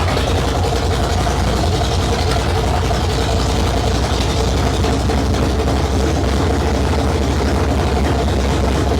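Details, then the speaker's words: 1972 Ford Maverick with a freshly rebuilt 317 V8 on its first start, no exhaust fitted, transmission fluid overfull. A loud, deep, even, lumpy idle with no knocks or misses. Normal idle. "I'm going to fire this thing up real quick I know there's no exhaust on it yet so it is pretty loud so I don't know how well the camera is going to pick it up or my mic anyway"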